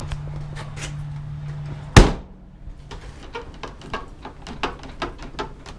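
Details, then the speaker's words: Toyota T100 door after Gorilla tape fix over the body and flattening the door by about a quarter inch: one solid thunk then only light taps, no metal-on-metal rattle; door closes without rattle. "No rattling. Okay, let's do the other side. Yes. No more rattling. I'm literally moving the whole truck."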